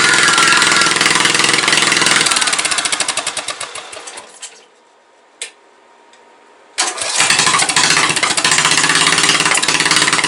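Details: Briggs & Stratton 17.5 OHV single-cylinder mower engine after valve adjustment, compression release working, spark present: runs hard, fades and stutters almost to silence for two seconds, then catches again; owner suspects carburetor fuel starvation.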